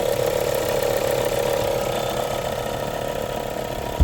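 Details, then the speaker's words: 2022 Volkswagen Polo Liftback 1.4 petrol at idle: fast, uneven ratcheting rattle from the alternator that disappears when revved; alternator removed and serviced, after which the noise largely stopped. "Даёшь газ, звук пропадает. Проблема в генераторе."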